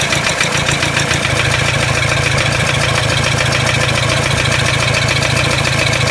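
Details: Toyota Hilux D-4D 1KD-FTV diesel at steady idle with a loud, fairly regular rattling knock; disconnecting each injector didn't stop it, only reduced it on cylinder one; owner suspects cracked piston, not confirmed.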